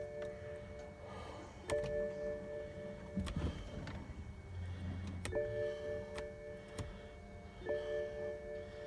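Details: 2010 BMW 535i xDrive, turbo straight-six, second no-crank attempt: a tinkling multi-tone chime repeats every few seconds while the starter stays silent; the dash says key in ignition and ignition not possible. Cause not found.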